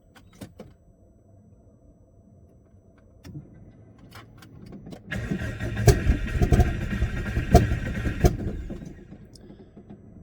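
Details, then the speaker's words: Subaru Forester STI, turbo rebuild with new up-pipe and coil-on-plug wiring: starter cranks evenly about five seconds but never fires. No start because the ECU software was still set to wasted spark instead of coil on plug; the tuner ticked the box. "the reason it didn't start is because the um ECU in the software there's a box to click to turn it from coil on plug to um wasted spark and it was on wasted spark which was the old um setup"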